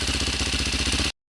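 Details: Single-cylinder engine, cold, after installing a DJH cam chain tensioner: short burst of steady idle with even, quick firing pulses and no chain rattle; normal idle.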